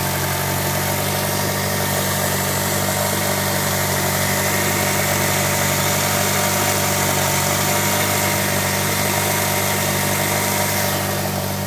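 Engine idles steadily, with a light, quick repeating chirp riding over the hum at about four per second; an idle chirp, source unclear.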